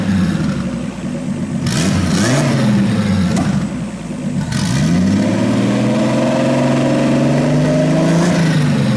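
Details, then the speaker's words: RB26-swapped Subaru WRX on a Haltech ECU base map, air-fuel ratio brought down from about 15-16 to 12, fans on, warming up: engine blips and settles cleanly with smooth pitch changes; no misfires, normal free revving. "So yeah, sounds good. Really good. We don't hear any misfires anymore."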